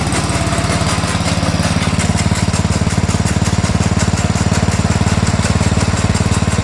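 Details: Sears Suburban 12 lawn tractor with a Tecumseh 12hp engine, barn-stored five or six years, first run: steady run with a fast, regular slapping thump about three per second from the pulley, caused by a chunked drive belt; a new belt is needed.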